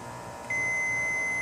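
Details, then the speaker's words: Snapper rear-engine rider, Briggs & Stratton 12 hp, retesting the magneto kill wire with a continuity tester: steady beep with key on, when it should be open; short to ground that would short the magneto. "because if it's grounded here it's going to short out the magneto there we go so we still have a short going on here somewhere"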